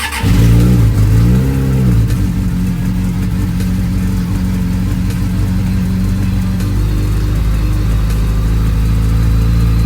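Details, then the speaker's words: Suzuki Bandit 600 with carbs being diagnosed for a misfire, recorded on a phone mic after a cold start on choke. Choke now off, nearly at temperature, running lumpy and still hunting; owner suspects carb balancing and pilot screws need adjusting. "idiot ta so not sure if you can hear me or the bike but it's running a little bit lumpy choke is now fully off it's nearly up to temperature it's still hunting a little bit"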